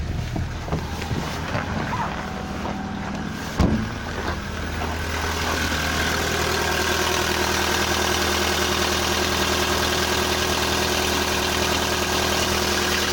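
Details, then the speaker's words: Volkswagen Polo Sedan CFNA, 193,500 km, cold start at minus 30 with clutch pressed, checked for piston knock: light, quick top-end ticking at idle with no deep knock; only hydraulic lifters heard, no piston slap. "Я кроме гидрокомпенсаторов ничего не слышу, никаких поршней."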